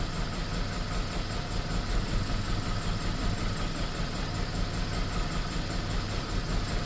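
The idle is low and uneven with a lumpy, stumbling beat instead of a smooth hum, the shake of a misfiring engine.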